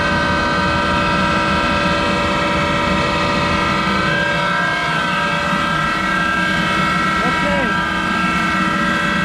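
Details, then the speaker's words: Monarch 10EE lathe owned about 30 years: motor-generator starting with loud whining drone and gritty undertone from worn bearings that need replacing after decades. "Okay, that started the motor generator, and you can hear those bearings are very loud."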